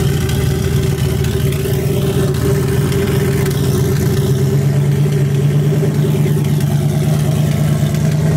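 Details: 2018 Mustang GT V8 with the exhaust exiting through the hood, very loud when cold: steady idle with a fast light ticking over the exhaust drone, an engine tick the owner calls the loudest: engine tick at idle.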